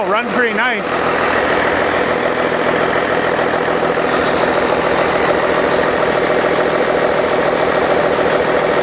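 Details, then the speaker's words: Old 12-valve Cummins diesel, stored almost a decade, first start after freeing a seized fuel solenoid; starter doubted: just after starting it settles into an even, steady idle clatter, no knock or miss. Normal diesel idle. "I don't think that stter is too long for Life come on I don't know"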